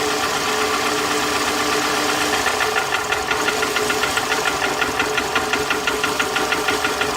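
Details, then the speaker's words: 2007 Toyota Camry with flashing check engine light, misfiring cylinder 2: with another coil connector pulled the idle drops into a slow heavy chug, about four beats a second, running on two cylinders and nearly stalling. "almost wants to die because at that point and then it's only running on two cylinders"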